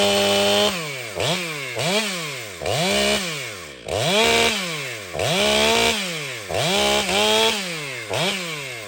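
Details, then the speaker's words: Ported Stihl MS500i chainsaw cutting small wood: it screams up and sags back roughly every second, never settling into a steady pull, and won't grab and cut; cause unclear. "every time I got into small wood I was kind of like what's this why is this doing this is this this saw sharp it should grab and cut"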